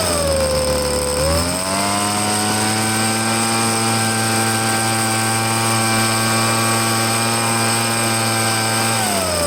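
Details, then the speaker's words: Petrol leaf blower being checked out: two-stroke buzz climbs cleanly from idle to a steady high pitch, holds even, then drops back smoothly; runs normally with good power. "I mean, it seems to have pretty good power and everything."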